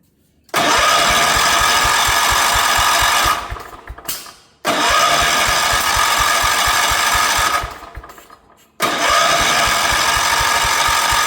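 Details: 1977 Wheel Horse B-100 tractor after restoring spark and adding starting fluid with a little throttle: three cranking tries of uneven chugs and pops that backfire through the carburetor without starting; owner suspects the ignition is out of time.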